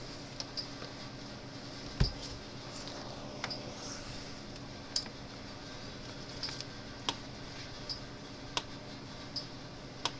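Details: Cyclops Master AC fence charger, a 2015 unit about five years old, after repair: sharp snapping ticks roughly once a second over a quiet room hum, an even hard-hitting pulse from a healthy energizer.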